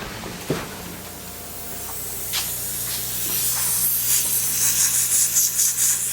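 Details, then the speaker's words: 1966 Chevy truck air bag system: constant high, airy hiss rising and wavering as compressed air escapes; owner hears possibly two leaks, traced to a fitting not tightened enough, stopped after tightening with a 1/2-inch wrench. "Do I hear a leak somewhere? Yeah, the leak's still going. Seems like there's two of them."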